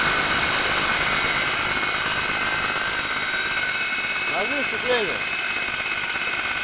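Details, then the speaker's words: Lada Granta, 81,000 km, cold engine at idle with clutch pedal pressed: thin, steady high whistle and hum over a smooth idle; owner suspects a failing clutch release bearing (INA). "всем большой привет lada granta 81000 пробег пошел свист и гул на холодную при отжимании сцепления сейчас заведу покажу скажу"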